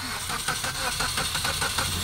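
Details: Suzuki Swift that had not run for four years, cranked after clearing its diagnostic trouble codes: a quick, regular starter chug about six beats a second with no firing yet; it then starts and runs well.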